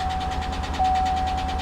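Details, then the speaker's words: 1977 Ford Bronco at an auction lot, just started: fast steady ticking over an uneven, stumbling idle with a dead miss; oil pressure reads 40 PSI; a tapping lifter and lifter damage are suspected but the cause is unconfirmed; ticking with misfire. "dead Miss tapping lifter oh that's a shame that's a shame yeah that sounds like lifter damage"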